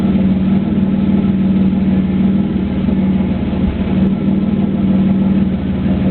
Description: Video of my 3.8 camaro with a bad spark plug. If you listen closely, you can actually hear the exhaust break up several times during idling and reving.